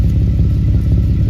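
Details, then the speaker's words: Camaro (392) after catalytic converter welding, with the exhaust pipe not yet back on: heavy V8 idle with sharp rapid raw chuffing pulses, exhaust leaking at a loose pipe joint that needs tightening. "you gotta tighten that one up I knew I heard something wasn't right"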